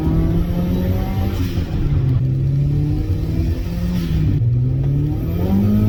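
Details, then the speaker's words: Turbo Mazda Miata at operating temperature while driving: revs dip and recover unevenly as the tach needle jumps, random hiccups; the fault occurs cold or hot and can progress until the engine dies; cause not found. "so that's usually the first hint you see the RPM gauge jumping around and then what will start is like random hiccups"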